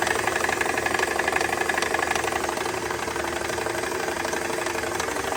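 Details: Mercedes C320 at steady idle with a fast rattling knock, about four a second, from the belt-driven side; diagnosed as a failing AC compressor.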